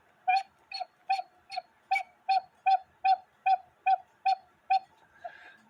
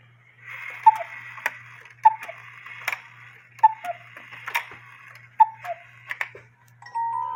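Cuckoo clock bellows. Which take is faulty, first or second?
first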